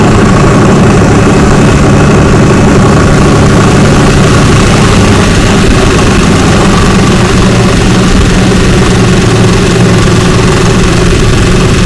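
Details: 2004 Ford Ranger FX4 4x4 4.0L, 275,000 miles, after replacing coil, spark plugs and wires for a misfire code: steady, even low idle with no stumble; firing cleanly on all cylinders, owner suspects a separate AC compressor noise.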